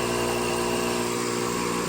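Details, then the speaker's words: Roughly 40-year-old Fluoromizer 3500 recovery compressor after its condenser was cleaned: steady, constant motor hum with an even buzz, restarting right away with no issues; owner suspects the earlier no-start on a roof came from bad power through a long 100-ft extension cord. "Still sucking, running. Restarts right away. No issues. Yeah."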